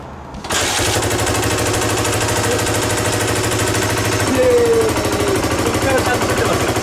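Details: Single-cylinder Suzuki DR250SH, about 30 years old, under restoration, fires up and settles into a steady, even thumping idle with a smooth note after two holes in the exhaust were sealed with cable ties; leak fixed.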